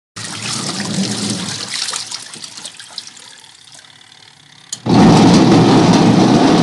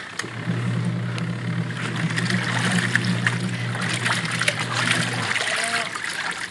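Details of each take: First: Noisy washing machine that barely spins: loud harsh roar with a rough grating edge starts abruptly and holds steady, from a worn gear in the gearcase pulley, before repair. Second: Even low motor hum over sloshing water, no knocking or grinding, from a previously very noisy washing machine that barely spun, after replacing the gear case; now washing smoothly.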